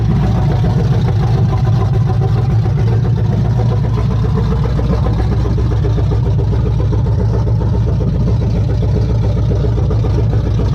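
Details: Chevy C10 truck with a freshly installed ZZ4 350 crate V8, first run: deep, steady, even lope at idle with no knocks or ticks; normal idle.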